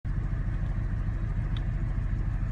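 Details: 2015 Mustang GT 5.0 V8 idling extremely rough with check engine light on, second occurrence: deep, uneven lumpy rumble; boost vacuum off, air-fuel ratio at 20, smells very rich; restart is hard, then it runs fine.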